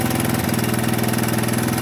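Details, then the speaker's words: 1983 Honda ATC 200 three-wheeler, single-cylinder, mic beside the engine, before carburetor idle screw adjustment: fast, even pulses around seventeen a second with no throttle; idle speed set too high. "As you can tell, running at a pretty good speed, idling pretty high."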